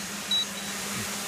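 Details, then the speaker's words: DJI Mavic Pro stuck hovering 10 to 15 minutes, not responding to sticks or return-to-home, battery down to two bars: short high controller warning beeps about a second apart over a faint hum; later fixed by a firmware update. "g on the screen right now yet it is not landing at all you just hear the beeping noise it's been hovering there for at least 10 minutes maybe 15 minutes so far"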